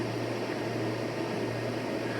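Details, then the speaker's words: New 3000W 60V inverter after about 20 minutes of testing in a cold garage, fans running: quiet even whoosh over a low steady hum, no rattle or pitch wobble; normal cooling fan running. "success even with the unit being cold the fans have turned on their blowing out cold air it's not even that hot"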